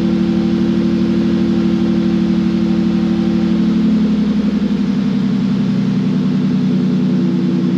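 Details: Ford Mondeo ST220 V6 running after a fuel pump and fuel filter upgrade: steady, smooth drone that settles slightly lower after a few seconds, no misses or knocks; sounds healthy.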